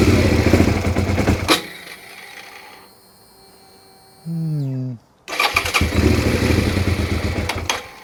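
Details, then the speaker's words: Suzuki SV650 that starts, runs a second, then dies: engine catches briefly, stalls within seconds, cranks and refires; fuel delivery fault, suspected low fuel, fuel pump in tank to be checked, problem not fixed. "Not convinced. It's entirely possible we've got very little fuel in it and we're running the fuel out of the tank up. So, No, I don't think we've fixed the problem there."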